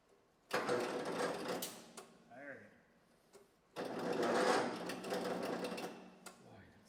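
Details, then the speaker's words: 1970s Massey Ferguson MF-12 garden tractor, Tecumseh 12 hp, after head replacement, cranked on jump box and battery that needs charging: two strained, sluggish cranking bursts that never catch; later found very black oil. "needs a little time to charge. Maybe I don't want to get crazy. That's 10. Does not sound good."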